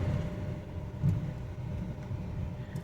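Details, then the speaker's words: Renault Duster after major engine service and suspension work, road test over speed breaker: low steady road rumble, no knock, clunk or rattle; suspension normal. "आवाज नहीं है यह second breaker आ गया अब इसमें निकालते हैं इस अब देखते इसमें कोई आवाज तो नहीं है किसी भी प्रकार की कोई आवाज नहीं"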